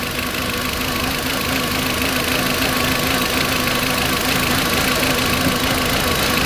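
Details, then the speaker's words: 2004 VW Beetle 1.8 Turbo idling unevenly with an uneven pulse and steady airy hiss from a vacuum leak at the brake booster line, also causing a hard brake pedal. "vacuum leak is way back in the back it's on the booster cylinder already checked earlier on the brake booster and that's what's giving this car rough idle"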